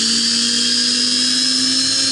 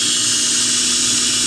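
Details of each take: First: Prototype belt grinder center-tracking assembly, steel wheel on a shoulder-bolt axle, first run at high speed. High wavering whine, then low notes die as the wheel heats, expands, binds and stops. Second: Center-tracking belt grinder prototype with small drive wheel, running in reverse after a fix for its earlier poor reverse running: constant, even high hiss and whine from the belt with no thumps, running as well as forward; normal running.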